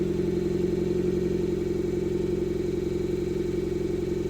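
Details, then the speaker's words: Fiat Panda 100HP swapped with a Bravo 1.4 T-Jet turbo engine, very first start, electrics about 90% sorted and dashboard showing faults: lumpy, uneven loping idle with a coarse hum, sounding like it runs on two cylinders; rough idle, misfire. "The engine isn't running the world's greatest, but I don't care."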